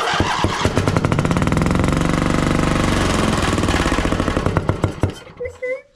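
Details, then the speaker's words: John Deere 145 riding mower with a Briggs & Stratton OHV V-twin that ran low on oil. With the left plug wire off it runs on one cylinder with a steady, even thumping and no popping. A stuck valve popping back through the intake is suspected. "on that side when I've got the left side unplugged, sounds like it's running good and you don't really hear that pop anymore. Well, that's probably because one of these valves is stuck because it was ran low on oil."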